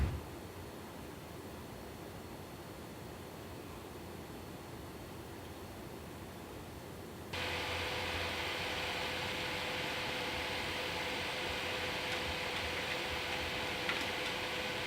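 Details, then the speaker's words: Gigabyte RX580 8GB GPU in OC mode at 1355 MHz while gaming, never above 75 °C, camera pointed at the computer: steady airy fan rush with faint hum that jumps louder partway, fans spinning hard under load, normal. "I folks as you can see this rx 580 does get pretty loud when it is under certain conditions now I have to say it never really got above 75 seat which is pretty good"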